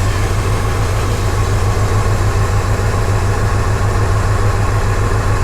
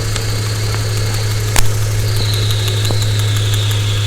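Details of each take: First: Engine with code P0300 after the customer swapped many parts. A cylinder drop test shows cylinders one, two and three not working. Low idle with an uneven loping pulse about three times a second: misfire with dead cylinders. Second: Cylinder misfire (P0300) diagnosis: with the PCM controlling the injectors during an audible test, each injector gives a crisp, regular light ticking at steady idle with no stumble, so it is firing normally.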